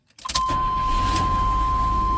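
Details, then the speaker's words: 1987 Chevy S10 2.8 L, reassembled after fixing a stall and no-start: a brief crank, then it catches promptly and settles into a steady, even idle under a constant chime; starts and runs normally. "There we go. Just in case you guys didn't believe me, it's all put together and running."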